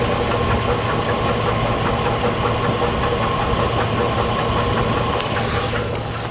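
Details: 2008 GMC Envoy, 220k miles, oil well maintained: steady idle with a rough, loose internal knocking tap at about two to three per second; cause of the engine knock still unknown.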